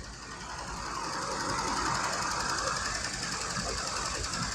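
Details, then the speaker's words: 1984 Dodge D150 Prospector V8 first start after 20 years parked: idle with a light, fast tick about three to four per second; broken exhaust manifold bolt missing at top, probably causing the tick, suspected exhaust leak. "Missing an exhaust manifold bolt right there. Broken on the top. Probably what the tick is."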